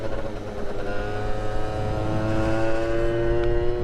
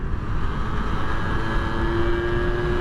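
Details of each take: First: Suzuki Street Magic moped with a swapped-in Gilera Runner 125cc two-stroke, after heavier variator roller weights were fitted. A buzzy scream holds near the top while over-revving, possibly hitting a limiter, with no extra speed. The owner suspects very short gearing. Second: Suzuki Street Magic moped with a swapped-in standard 125cc two-stroke Gilera Runner engine, riding on the road, now warmer: crisp, even buzz under load with road rush, pulling cleanly and running crisper as it warms; normal.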